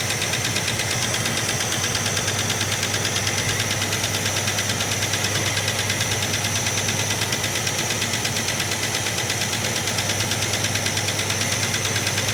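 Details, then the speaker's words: 1967 Plymouth Barracuda V8 idling with a lumpy beat, about three thumps per second, and a missing pulse as plug leads are pulled on one side to isolate the cylinder; dead cylinder misfire. Distributor appears set too far out. "So, I'm just going to look and see what uh if I can narrow it down to a particular cylinder. I'll pull the leads off where I think the noise is not doing much."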